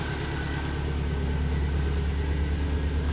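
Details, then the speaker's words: Built Subaru STI with ID injectors, Cobb intake, Perrin intercooler, AEM fuel pump, first start on new base map, checking for coolant leaks; deep, steady burble with even low pulse, no knocks or ticks; smooth normal idle. "listen to How healthy this motor sounds man it sounds good so smooth"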